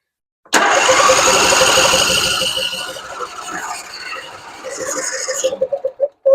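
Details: Husqvarna RZ46i zero-turn mower, sat for years, during fuel system cleanup: starter churns steadily but engine never catches and dies off; fuel not getting through a gummed carburetor.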